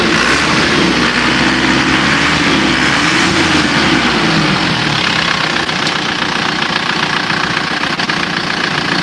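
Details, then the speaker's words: Isuzu Panther diesel after an engine overhaul for white smoke, with used liners refitted: loud, steady diesel clatter holding an even beat with no misses or knocks; the smoke now looks cleaner; normal diesel idle. "suaranya suaranya ya bagus ya asapnya kalau menurut perasaan saya Justru malah lebih bersih"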